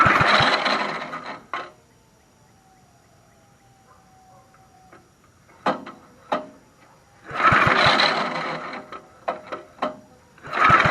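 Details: 1960s Bolens Suburban 26 lawnmower revival: several short bursts of rough pull-start cranking with quiet gaps, engine never fires; owner suspects the coil, not confirmed.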